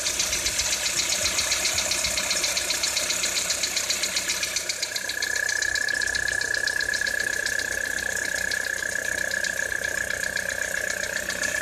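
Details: 2013 Citroën C4 on cold start in frost: cold idle with fast, fairly even ticking knock about four per second over the engine; engine knock, cause not pinned down.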